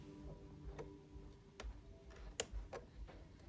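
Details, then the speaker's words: PlayStation 4 with updated software and clean disc: faint irregular ticks about every half second over a low hum as the drive repeatedly fails to read the disc, giving unrecognized disc error. "you can hear it trying to run go to the monitor you can see a little disc on the top right here where it's trying to find the cd trying to read the disc"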